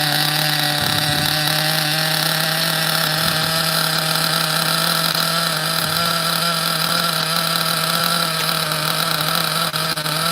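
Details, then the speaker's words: OFNA Ultra MBX nitro buggy with rare 2-speed and Hyper 21 Turbo engine, freshly started after under-priming; small nitro screams high and steady on throttle, soft and blubbery underneath, running very rich but spinning well. "Very rich. Very rich. I'm just checking the idle, okay? Very, very rich. But definitely spinning good."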